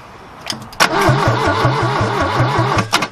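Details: 1969 Ford Capri barn find, choke shut and a little fuel added: the starter churns about five to six beats a second with brief puffs trying to catch, but the engine never fires. Cause not confirmed.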